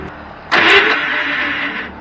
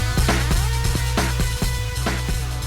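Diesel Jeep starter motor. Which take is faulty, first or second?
first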